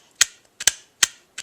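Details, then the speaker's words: New replacement turn signal/multifunction switch stalk for a 2001 Nissan Sentra, tested before fitting: sharp, crisp, positive clicks, about five in under two seconds, through its detents; the switch works correctly. "there is the click i should be hearing but that's the part that i need to connect so i'm going to have to take it apart obviously but all this works correctly as it should"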